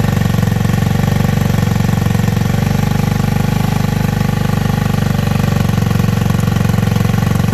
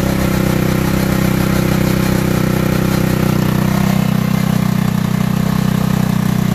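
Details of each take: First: Tao Tao Racer 49cc bike, single cylinder: fast putter with a slightly uneven beat. Owner says it bogs out and still needs valve adjustment and rich/lean mixture adjustment; CDI is a J&J Power Sport high-voltage unit. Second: Tao Tao racer that wouldn't start, running again after battery and valve adjustment: small single settles into a steady, even putter about three beats a second with no misses or knocks; idles normally.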